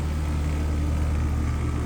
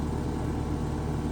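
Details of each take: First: Home AC condenser restarted after run capacitor work (30/5 replacement planned): steady even low hum with constant fan whoosh, no buzzing or clicking, already blowing hot air. Normal running after repair. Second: Home AC condenser, thermostat powered: steady low electrical hum with no spin-up as the compressor tries to start and stalls; diagnosed as a failed run capacitor. Compressor fails to start.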